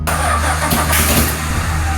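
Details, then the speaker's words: Rebuilt Australian roo-hunting ute, just after spark plug wire work, fuel poured into the carburetor bowl and a little throttle given: catches and runs rough with a few sharp pops; backfiring, owner suspects ignition timing needs setting. "A little backfire. I think we have some ignition timing we have to do, and but in any case, it pops off a few times, so it's, you know, it could be worse."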